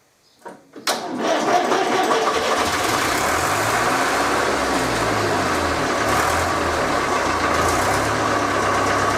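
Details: Rebuilt Fordson Major tractor diesel on its first start after a painted-over solenoid cable end was fixed: a short crank, then it fires at once and holds a steady, even idle. It runs fine, though it is not charging.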